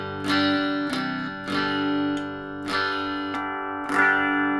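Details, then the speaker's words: 25-year-old Squier Venus guitar after diagnosing and resoldering to cure a long-standing buzz: clean-channel chords ring and decay through both pickups with no hum, crackle or buzz; normal clean guitar signal. "just as a demonstration this is what sounds like with a clean Channel you can hear both pickups work"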